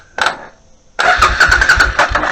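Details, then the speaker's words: Suzuki Intruder VS800 after tapping the stuck starter solenoid with a hammer: short blip, then the starter spins the engine over at an even chug-chug; solenoid now working, start-button wire still has no power. "turn over so the solenoid is working so there's no need to take the solenoid apart"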